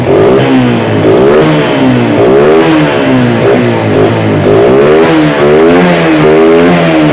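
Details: Yamaha Vega R motorcycle after carburetor service: small single revs rise and drop back cleanly with the throttle, no knocks or misses; engine running normally.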